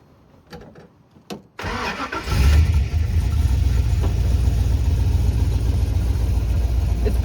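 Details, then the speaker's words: LS V8-swapped Nissan 240SX S13, new motor and clutch on break-in oil, about 55 km driven; rushed makeshift exhaust to get it running. Cranks, catches, then loud, boomy, raspy idle with coarse drone; poor exhaust note, exhaust to be redone. "So, as you can hear the noises coming out of this exhaust are not good."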